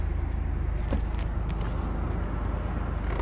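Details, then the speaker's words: Chevrolet Impala after repairing a no-start with no power to the starter, battery reconnected: low steady idle rumble with no knocks, misses or squeals; car recognizes everything again and sounds healthy. "and that's it car back working um that was my issue car recognized everything again"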